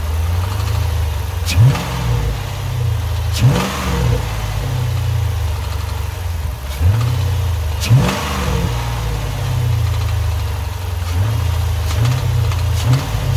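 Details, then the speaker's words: Chrysler 300C SRT Design Hemi, 198K miles on the car, replacement engine with about 50K: a brief metallic, rattlesnake-like rattle rides each throttle blip under acceleration. Owner fears a dropped valve seat; cause unconfirmed. "all right hopefully you heard some of that rattling sound so i don't know what that is sounds weird i'm getting worried thinking i dropped a valve seat or something"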